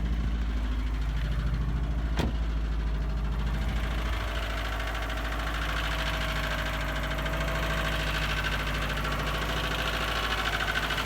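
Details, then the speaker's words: 2002 Subaru WRX with built EJ25 2.6L STi hybrid engine, forged internals, cold idle in the morning, high 30s to 40s °F: steady rapid hollow knocking over the low boxer rumble, piston slap, loud when cold. "i have a good amount piston slap in the morning it's actually pretty loud when it's cold out but i want to give you guys a quick view of it and show you what it sounds like"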